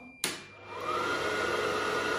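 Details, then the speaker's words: Gas boiler combustion fan during air pressure switch test (contact moves black-brown to black-blue when fan runs): click, then rising whir settling to a steady, even, fairly loud tone; fan running normally. "so this fan's a little bit loud so i'm just gonna connect across here using the uh manometer"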